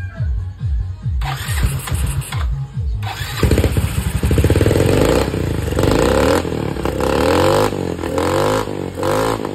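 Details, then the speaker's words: Yamaha Mio i 125 after repair (about 0.68 V closed, 4.14 V wide open): fires up, settles to a stable idle, then revs cleanly up and back down without stumbling; idle now fixed. "Ayan. Okay na po ang menor niya. Table na po siya."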